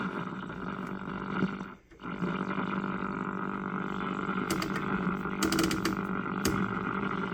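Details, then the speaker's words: 1965 Philco 19-inch black-and-white hybrid tube TV powered through a 300 W bulb limiter: a steady mid-pitched whine with a brief dropout, as the horizontal oscillator runs far off frequency; dirty horizontal hold control, no raster, no tuner activity, open or gassy tube suspected. "like it's running way off, though. Sounds like it's all over the place, actually."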